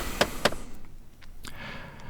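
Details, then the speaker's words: 2014 Dodge Avenger, ignition on with engine off in quiet cabin: two sharp clicks then faint whirring from the heater air blend door actuators, a known unrepaired fault. "door actuator clicking sound. Sorry about that."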